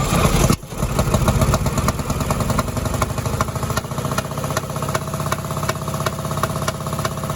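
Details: 1957 Chevy parts car parked since 1974, engine freed after being locked, oil put in cylinders, points cleaned, first start: catches and runs at rough uneven idle with loose clattery firing pulses; low compression.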